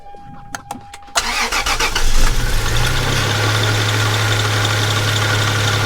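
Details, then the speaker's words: Wrecked first-gen Toyota Tacoma bought at salvage auction, started in the cold; a few clicks, cranks, catches and settles into a smooth, even idle with no knock or rattle; normal idle. "so let's stop talking let's fire this truck up listen to it purr get in out of the cold and get to work"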